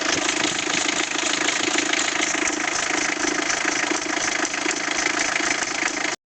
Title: Bruit moteur 306D